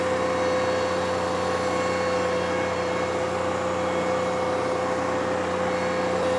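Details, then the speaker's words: John Deere 2038R compact tractor pushing soil at full effort during backfill, microphone worn by the operator: a steady high whine over the diesel drone; hydrostatic transmission whine under heavy load, normal. "The whine comes from the hydrostatic transmission. You'll hear it the loudest when the tractor is pushing or pulling as hard as it can pull."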